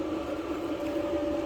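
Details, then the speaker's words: Kenmore dryer that had been turning itself on and beeping, after full teardown, dust cleaning and new control board, first run: smooth even hum, steady mid tone, no knocks or scraping; normal running. "all right we're plugged in all right so so far so good"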